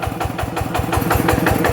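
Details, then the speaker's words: Yanmar TF85 LM single-cylinder diesel, quieter than the Jao Palang model, original rings, owner says no oil burning, slight exhaust smoke. Even, regular thumping at about five to six beats a second with no knocks: normal running. "จะไม่อ๊อดรุนแรงเหมือนเจ้าพลังนะมาอ่ะเสียงก็ประมาณนี้นะครับ"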